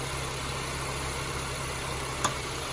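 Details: 2006-2011 Honda Civic 1.8 L idling, charging at 14.2 V: steady, even idle with a smooth low hum and no knocks, ticks or misses; sounds healthy.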